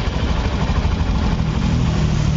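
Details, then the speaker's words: Honda Beat eco scooter after repair of a noisy engine, with the valve area now quiet: soft, even, low idle putter with no knocking or rattling, back to normal like new. "suaranya lembut kembali seperti baru tuh tidak terdengar ya suaranya lembut"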